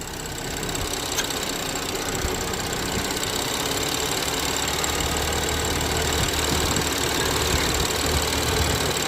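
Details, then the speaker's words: BMW X5 N55 idling after the PCV valve spring in the valve cover was cut shorter and evened with pliers, top not yet sealed, engine not yet warm: even steady idle with no whistle or squeal; normal idle. "Right now I don't hear any noise, so the spring is lower, and right now I don't hear any noise. So it looks like I fixed the problem."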